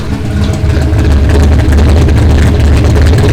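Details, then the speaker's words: Turbo Fox Body Mustang V8 after its first start, warming up with the exhaust cutout open: a deep, loud, even rumble with a lopey pulse and no knocks or ticks. Runs well; the fuel system still needs upgrading. "I'm just gonna let it warm up, give it a couple revs, see what it sounds like. I opened up the cutout. It's so much better."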